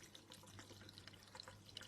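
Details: Aquarium overflow pipe in a bedroom tank, before fitting a DIY floating Stockman overflow silencer: quiet irregular trickling and gurgling with little splashes as air is sucked down the overflow drain.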